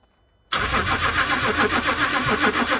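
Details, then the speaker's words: Cheap diesel Range Rover cranked with an injector line nut loosened. Steady starter churning with even compression pulses and no firing; only a tiny dribble of diesel emerges instead of high pressure, and the light doesn't flash. "you can see there's a tiny little bit of diesel it's quite hard to say but you can pretty much just see it there there's a tiny little bit of diesel just leaking out nowhere near what it should be"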